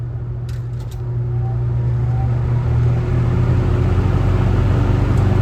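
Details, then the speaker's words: Kmart box fan, startup on low speed: low soft hum swelling smoothly as blades come up to speed, no rubbing, ticking or rattle; normal startup. "I really love the way this thing starts up. It has such a cool sound. Never get that out of any new fan nowadays."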